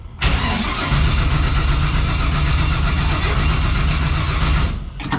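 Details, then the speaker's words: New MSD 6AL ignition box failed: starter spins engine evenly about four seconds, never catches; box took power but put out no spark, crank no start. "It just was not working. It was taking power, just wasn't dishing any out."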